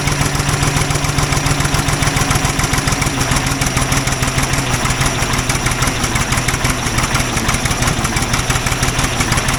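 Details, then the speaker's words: Old Ford loader backhoe, long unused, rough idle with uneven pops and spits through the exhaust; mechanic suspects it isn't getting full gas flow, as a fuel line connection leaks gas badly; cause not confirmed. "there was a lot of popping going on um which I actually think uh is because it's not getting full uh gas flow"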